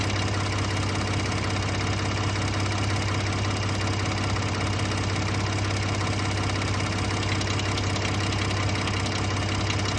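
Rough, busy idle with an uneven ticking rattle riding over the engine hum, source not pinned down yet. Cause suspected, not confirmed.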